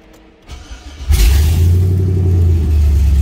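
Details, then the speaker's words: Normal warm idle on a truck after fitting a modified Holley Sniper EFI throttle body, at 201°F with low IAC position: fires and settles into a deep, steady, even idle with no misses. "That sounds way nice, eh?"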